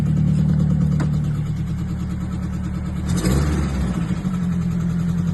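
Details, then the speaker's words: Nissan S-chassis just bought, fired up after refitting spark plugs and a good battery: uneven lumpy idle with throbbing rumble, rev blip, stray ticks and squeaks; radiator heats very fast, owner suspects head gasket or warped head. "And as you can hear, there's a lot of noises that you don't want to hear from an engine."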